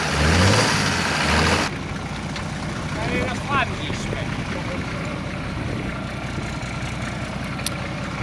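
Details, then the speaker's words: Esarco 8x8 truck's old VM indirect-injection diesel, started with a fresh battery and jump pack after sitting 25 years: loud opening noise, then a steady, even idle with no knocks or misses. Normal diesel idle. "so although the truck started and ran amazingly well actually considering it's been sat for 25 years um just with a fresh battery really"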